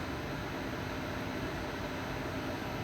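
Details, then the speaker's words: Replacement induction cooktop maxed out at setting 450: steady even hum with a faint high tone, no buzzing or rattle; normal, far quieter than the previous cooktop. "Okay, 450 is max. So, we got this thing maxed out right now. And the noise is definitely not hurting my ears like that one was."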